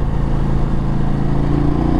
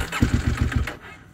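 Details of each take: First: KTM 890 Adventure R Rally with Wings exhaust and quickshifter, riding on road: deep, even twin growl climbing smoothly as throttle opens, no misses or knocks; healthy engine. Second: KTM 890 Adventure R Rally cold morning start, about 45°F overnight, after three failed tries: starter catches, a few very rough firing pulses as if running on one cylinder, then it dies; cold start stall.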